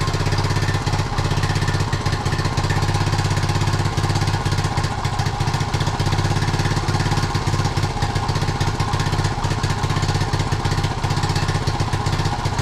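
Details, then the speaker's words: 1976 Honda Z50J1 Monkey bike, long-standing running problems. Small single stumbles at idle with uneven chuffing, about four beats a second, never settling; it sounds awful. Owner plans to clean the new carb in case the jet is blocked. "Doesn't sound right at all. I'm going to clean the carb out, I think, just to see if the jet is blocked."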